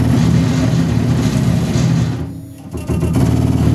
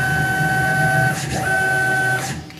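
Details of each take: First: Tormach PCNC 1100 Series 2 X-axis stepper motor with failing driver, compared with healthy Y axis: coarse, buzzing, uneven stepping tone at slow feed, rougher at low speed; stepper driver failed and replaced. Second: Tormach PCNC 1100 Series 2 mill, Y-axis stepper motor jogging while the X-axis stepper driver was failing: clean, steady single-pitch whine with brief pause, smooth and even, no roughness; Y-axis sounds normal.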